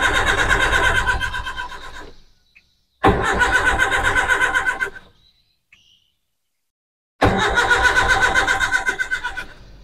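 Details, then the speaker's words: Espass 1.6 L car on CNG after swapping to a Poligas low-pressure regulator with a single gas line: three cranking bursts, steady starter chuffs, engine never starts; owner suspects insufficient gas supply. "mencoba menggunakan satu saluran dan menyalakannya beberapa kali, alat itu sama sekali tidak mau menyala ."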